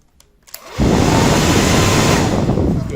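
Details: Simbo hair dryer after disassembly, previously with seized motor and fan not turning, fixed unintentionally while taking it apart: switches on and spins up within a second to a steady, even whoosh and whir; running normally.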